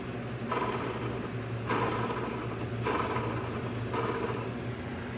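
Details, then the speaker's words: Cub Cadet LTX1045 mower deck with belt tension released: spindle pulleys spun by hand, two smooth, one gives a dry gritty rasp each turn, no play but noisy worn bearing; pulley to be replaced. "That one's nice and smooth. That one's nice and smooth. Not getting any noise off those two. And that one's got a little bit of noise. No play, but some noise for sure."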